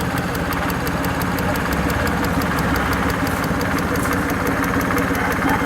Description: Suzuki F6A EFi. Engine Ticking Noise from fuel injector.